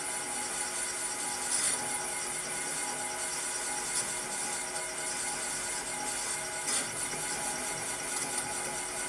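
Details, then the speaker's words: Serdi 3.0 machine cutting valve seat on stock LS1 cylinder head with added lube; thin scratchy cutting with faint ring and rough chatter; seat cutter chattering, seat looks good but not yet down to spec. "you can hear that chatter and I wonder how much of that she's got a pretty good seat"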